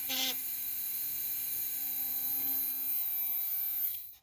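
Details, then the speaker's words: Schaper Stomper gen 1 4x4 toy motor bench-run on battery contacts, finger-spun to start: steady even high-pitched buzz holding pitch as it spins up in RPM; runs smooth, normal. "And I just spin with my finger until it takes off. Sometimes they won't take off. There it goes. I'll let it sit and run for a little bit, get up in the RPMs."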